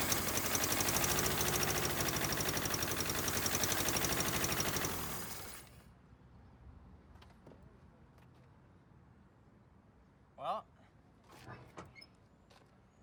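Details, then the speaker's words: 1979 Honda Civic 1200 on its first start after sitting about 16 years. Rough, uneven chugging for a few seconds, then it dies. Ignition timing is way off, spark was lost at the end, and there is blow-by. "that was a successful first start sure sputtering and stuff"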